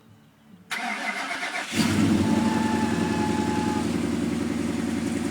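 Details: Engine with new alternator pulley and idler pulley/tensioner cranks, catches and settles to idle with a thin steady whistle; source unidentified.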